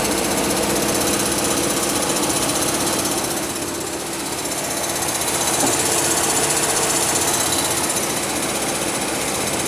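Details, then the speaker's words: 2003 Pontiac Grand Am GT at idle with the AC off: a fast, fairly regular metallic rattle, about four per second, that stops when the AC is turned on. The owner suspects water pump play without the AC compressor's belt tension; this is unconfirmed. "oh baby i bet for sure i bet it is the water pump sounds like it's got like play in it without the tension from the ac compressor"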